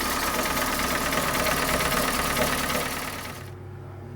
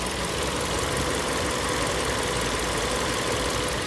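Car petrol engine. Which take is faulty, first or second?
first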